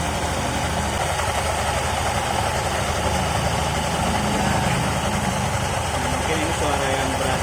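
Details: 2020-model automatic scooter idling with a rough, steady snoring grind from the opened CVT; the fix applied is greasing with genuine Honda grease.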